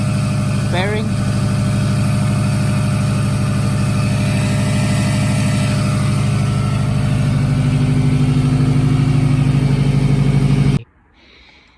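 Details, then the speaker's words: Subaru WRX after JDM engine long-block swap, E85, first run; steady flat-four idle with extra whir and flutter from a loose AC compressor belt, engine itself sounds healthy; loose accessory belt noise. "smoking up a little bit that's because uh i don't know why but this belt is loose ac is built probably just going to take that off and put it back on we got ac in here but that's what that weird noise is coming from"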